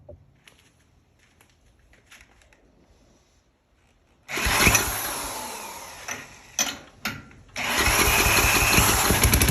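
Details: 34-ton log splitter's small engine, bought as supposedly blown/locked, after reattaching a leaking degraded hydraulic return line: fires, stumbles briefly, then catches and runs at a steady, even buzz; owner had feared continued oil smoke; normal running.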